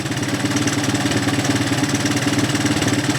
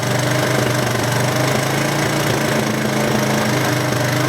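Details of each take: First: Single-cylinder with melted plastic near the spark plug wire area, being run to dry out. Steady, even thump of about three beats a second with no misses or knocks, smoothing out: normal idle. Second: First-generation Honda Big Red, shaft drive with reverse and electric start, not started in over two years, deliberately held at high idle on a jumped battery; runs rough and clattery with uneven pops, cause not pinned down.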